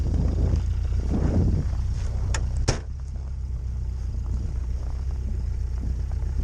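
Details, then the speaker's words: Lada 2104 cold-started at about -19°C after over three weeks unstarted in a snow drift; carb still adjusted for warm weather, choke not giving enough throttle, deep low uneven idle with a single clunk on choke. "the worst thing is this carp is still adjusted for warm weather hello the choke doesn't quite give it enough frontal till warmed up a little bit"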